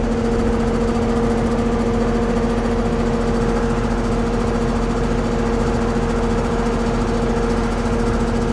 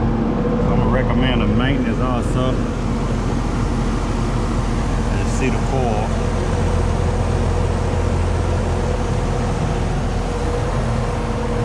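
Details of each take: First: Carrier central AC on a no-cooling call (80°F room, set to 71) at the outdoor condenser: steady hum and fan whir, but the compressor never kicks in. The cause is a swollen, failed 70 run capacitor. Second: Carrier AC condenser after the failed run capacitor was replaced and wiring redone: steady low hum, with compressor and fan running evenly and no rattles or buzzing. The unit sounds healthy and is blowing cold.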